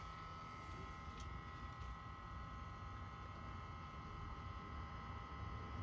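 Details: 2021 Subaru STI with the ignition off, six hours after last being driven and with the access port disconnected: a steady low drone with faint whining tones coming from the rear right side; it later stopped, cause unknown.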